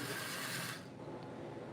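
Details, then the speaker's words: Used steam locomotive from eBay running on track before repair: gritty, rattling gear chatter that rises loud then fades as it passes. Sounds terrible; a small wobble is visible, cause not yet found. "If you can hear it, it sounds terrible."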